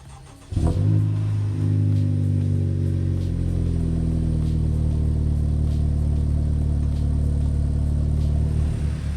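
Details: Honda Civic Type R (FK8) first start after reinstalling the KTUNER-flashed ECU, unstarted for over a week: short crank, catches at once and flares, then settles to a smooth, even idle with no stumble or hunting; healthy start.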